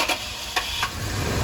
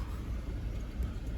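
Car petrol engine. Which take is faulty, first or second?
second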